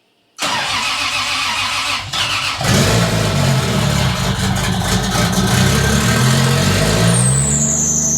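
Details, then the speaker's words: 1978 Datsun 280Z 2JZ swap, ECUMaster Black standalone, very first start, fuel system pre-pressurized, coils without hold-down bracket. Brief crank, catches at once, settles into fast, smooth, even idle, no misfire or knock; idle set rather high. "It started right up. Ran nice and smooth. The idle was pretty hi"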